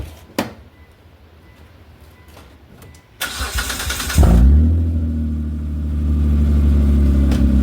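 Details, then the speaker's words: 2003 Mitsubishi Galant with original ground strap reconnected, fault traced to dirty connections: a few clicks, brief crank, catches at once and settles into a strong, even idle, loud because the exhaust flex pipe section is removed; normal start. "so let's go ahead uh I'm going to shut this off and yeah it's loud because uh it doesn't have the section of flex pipe in there anymore but it'll quiet down once I get that put back in"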